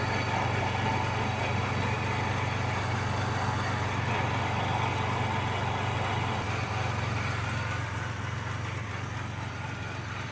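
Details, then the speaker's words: 1990 Mitsubishi Montero at first start: low, uneven, lumpy idle that sags slightly toward the end; stumbling rough idle, running rich with black smoke. "It's running. It's stumbling, but it's running. Definitely rich. It's puffing out that black smoke still."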